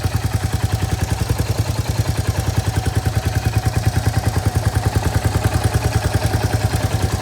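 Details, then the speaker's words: Royal Enfield Hunter 350 single-cylinder at idle after the sump guard was refitted with rubber bushes at the nuts to cure its humming; even, steady thump with no buzzing or metallic hum. Normal idle after fix. "और समग लगाने के बाद कैसी sound आ रही है with those rubbers जो कि हमने नट में फिट करे हैं"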